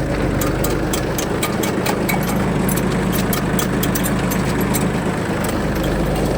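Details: Shibaura D215F Japanese mini tractor, 21 hp three-cylinder, 754 engine hours: just started, an even idle with a light, regular injector tick and no knocks or rattles; runs smoothly with no extraneous noises.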